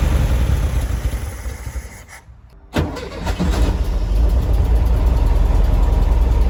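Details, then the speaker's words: 1973 VW Beetle, first start after sitting over 10 years, with new battery, fresh fuel and starter fed directly: brief crank, then catches cleanly into a steady, even idle with no misses or knocking; normal cold start. "and it starts what on Earth these cars are in insanely special I can't believe how easy that was considering the fact that this car hasn't run in years great news we've got a solid engine and listen to that sound it sounds amazing"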